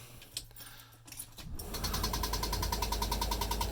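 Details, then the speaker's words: 1974 GMC motorhome with an Olds 455 converted to EFI, at key-on: a quick, regular buzzing tick of about three per second as the electric fuel pump primes. Normal. "can hear the fuel pump kicking in, and then I'm going to go to the advanced."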